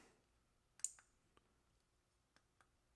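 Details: Woods 60-minute fan timer switch after replacing its load resistor and 100uF 50V capacitor: one crisp click on power-up, then faint ticks. Relay switching normally.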